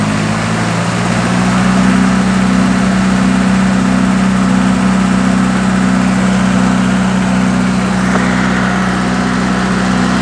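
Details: Isuzu 4FG1 2.4-litre inline-four at idle after valve clearances were set to 0.25 mm intake, 0.35 mm exhaust per manual: light, fairly regular ticking about three a second, worse than before the adjustment; cause unknown.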